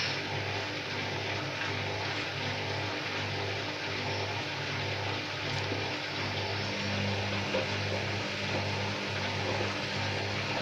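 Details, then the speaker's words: Candy washing machine on Cotton 40°C, 800 rpm plus Quick Wash, with a large bedding load: the drum churns and surges unevenly, speed rising and falling with thumps, as it fails to spread the lopsided load. "Что-то машинка не может распределить вещи. Ой, ой, ой."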